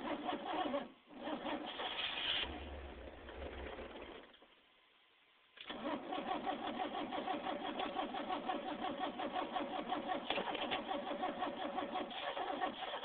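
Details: Engine of a van cranks with a steady, fairly quick starter beat in several long bursts separated by pauses but never catches or runs; crank, no start.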